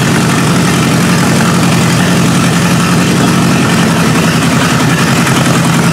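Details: 1953 Hemi V8 with its old carburetor holding a steady idle speed on a first start: deep rumble without stumbling or misfires; normal idle.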